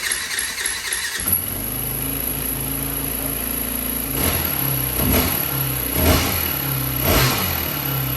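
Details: 2004 Yamaha WR450 single on electric start after freeing a stuck carb float needle: brief crank, catches and settles to steady running, throttle blips about once a second rising and falling cleanly.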